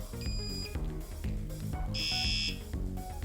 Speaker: that's the third one so there's three different ring tones that i can choose